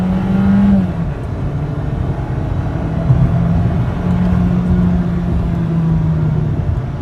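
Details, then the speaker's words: New rental VW Golf, 1.4 L 147 hp turbo inline-four, 8-speed automatic, floored in sport mode: smooth tone revving up high, almost like an electric winding motor, quiet exhaust, no knocks or rattles; healthy acceleration. "It revs up pretty high and it sounds kind of funny. It's like almost like a electric winding motor. It's kind of funny because there's no like heavy decibel exhaust on it."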